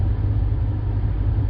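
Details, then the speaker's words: 2009 Buick LaCrosse blower motor commanded on via Xtool D8 scan tool active test, key on; steady, even low whir and hum with no ticking, rubbing or wobble; blower motor running smoothly and healthy. "you got your blower motor in fact again we're gonna go ahead and hit blower motor this should be something that you should be able to hear i think we're going to turn it on"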